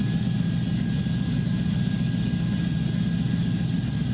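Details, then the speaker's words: Chevy 5.3L V8 on run stand: smooth steady idle with even deep burble, no ticking; quiet valvetrain, 50 psi oil pressure, healthy. "Man, this thing's, like valve train wise, this thing's quiet. Yeah, we're 50 pounds of oil pressure. But as you can tell, nice and smooth."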